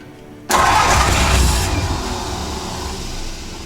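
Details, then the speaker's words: 1949 Ford truck (Vortic project), first start attempt with the exciter wire jumped from the starter solenoid to the coil: cranks hard with rough chuffing that never catches; ballast resistor suspected of too much resistance, weakening ignition. "oh it doesn't like that it doesn't like that excite so that ballast resistor might be have too much resistance that's what's causing that"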